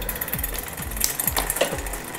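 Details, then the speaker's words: Niner Air 29in bike, rear derailleur barrel-adjuster upshift test. The shifter feels slightly loose, but the chain jumps up immediately. Crisp, even drivetrain ticking with no grinding or skipping. Clean shift. "Shifter felt a little bit sloppy, a little looseness in the shifter, but when I did get that click, it did jump up. The chain jumped up immediately."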